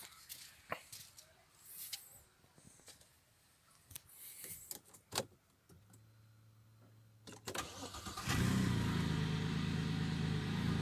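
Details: Audi A6 C6, engine start shown before the intake manifold knock fix, an earlier engine error already cleared. Some handling noise, then it cranks, catches at once and settles into a steady, even idle with no knock, healthy.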